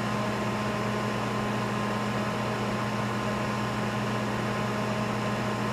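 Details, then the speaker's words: 1988 US-made Sharp Carousel II microwave, shell off, heating a water bottle after repair, drawing about 10 A (1.2 kW): steady even hum, low mains buzz and fan rush, no arcing or crackle; magnetron and fan working normally. "I put that tape on there to direct the air from the fan so since the shell is not on. Make sure the air goes through the magnetron to cool it. So that looks like it's working properly."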